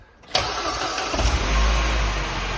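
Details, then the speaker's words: Mini JCW Coupe after its cylinder head was reconditioned and refitted, first start with the car partly reassembled: short crank, catches at once, then a steady, even idle with no knocks or misses; sounds alright. "that sounds that sounds alright there you go"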